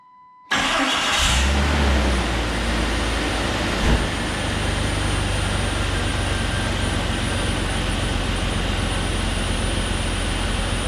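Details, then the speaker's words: 2001 Jeep Cherokee XJ 4.0L: the engine catches and idles with a thin, constant high whistle; a vacuum leak that worsened over time, where a water spray didn't help but a crack was located by ear at the brake booster check valve. "the only issue I've really had is there's like a small whistling noise from a vacuum leak somewhere sadly it got a lot worse so I think whatever cracked probably opened up and now it sounds like a big like ocean of air"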